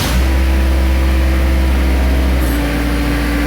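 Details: Diesel mower after installing a time delay relay for the PTO shut-off problem, after waiting for glow: steady, even low diesel chug at idle with no misses, knocks or stumbles; normal idle.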